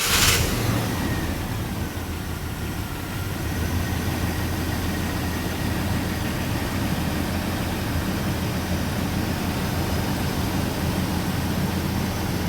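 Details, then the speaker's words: Chevrolet Vortec V8 after upgrading spider central-port injection to multi-port: low, steady idle with soft even rumble, no misfire or stumble; healthy after startup, possible initial sputter from trapped air expected. "Now, it might feel a little funny when it first starts up, getting some of that last air out, stuff like that, especially if you sprayed some brake clean in there. It's going to maybe make it, you know, sputter a little bit, but it should clear right up."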